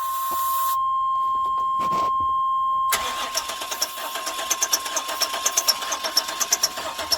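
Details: 1999 Chevy Express 2500 WT van whose distributor had been taken apart. The starter cranks evenly after a tone but it never catches. No fuel pump sound at key-on; later found to have no fuel and no spark.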